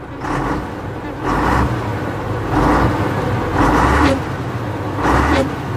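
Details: 1988 Volvo F10 320 diesel truck, started in neutral: deep diesel rumble at idle swells into several short, even throttle blips roughly every second, pulling up cleanly with no knocks; healthy engine revving.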